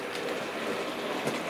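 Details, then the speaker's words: Sir Walter Scott model locomotive after replacing the split axle drive gear: a light, even whirr with soft rail clicks and no heavy rhythmic clonk, running smoothly at slow and slightly faster speed. "and you can see that horrible clonking sound it's gone and here we go again and you can hear that sounds and runs really really nicely"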